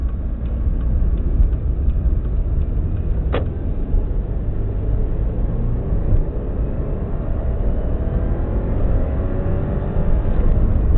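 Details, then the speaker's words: 2002-03 Subaru WRX EJ205 flat-four, warmed up, idling with a low, uneven lumpy rumble and occasional stumbles; cylinder 3 misfire, not a spark plug, no ticking, engine shakes; seller says supposedly a cracked valve. "Doesn't tick or anything, just that's misfiring. When I first got it, it was misfiring on cylinder 3. I was hoping for a spark plug, but that wasn't the problem."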